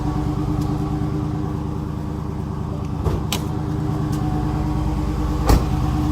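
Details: 2016 Chrysler 300 SRT 6.4 Hemi, 59,000 km: steady V8 idle with fast light tick and faint raspy grinding on top, louder with bonnet open, started recently; owner suspects water pump or MDS lifters, unconfirmed.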